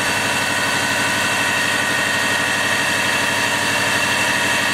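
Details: 1999 Subaru with 215,000 on it, started after alternator/battery low-voltage repair: steady, even idle with a smooth hum, no knocks, misses or surging; normal idle.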